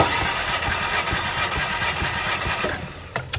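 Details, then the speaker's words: 2012 Alfa Romeo Giulietta 1.4 turbo petrol with a misfire, compression test while cranking: steady starter cranking at about four even pulses a second; this cylinder holds good compression. Cylinder 4 has none; burnt valves are suspected. "Basalım usta marşa. Gayet güzel bir basıncımız var."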